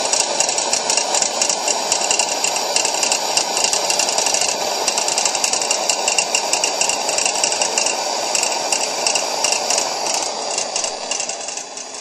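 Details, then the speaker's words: Coleman 625A lantern burning at full brightness and proper pressure: fast, uneven buzzing rattle over the burner hiss, from play where the generator rod clips onto a worn eccentric inside the valve assembly; turning the valve down changes it. "but what that noise is is the part where the generator Rod Clips on to The Eccentric inside the valve assembly has play in it and the pressure causes it to rattle"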